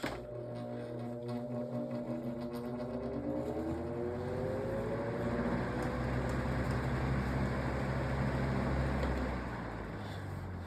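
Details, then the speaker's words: GE Vortalex fan switched straight to high: motor spins up quickly, hum settling into a steady smooth whoosh, good sound; normal running on high. "So, that's exactly that's that happens most of the time. It starts up and it has a great sort of sound, too."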